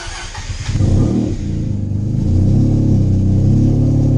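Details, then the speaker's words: 13B rotary in a Factory Five 818 after freeing stuck apex seals, all rotors now firing, warming up before idle tuning. Catches and settles into steady, even low burble with no misfire; normal idle. "But now everything's firing and everything's going good. So once I get it warmed up, I'll tune the idle."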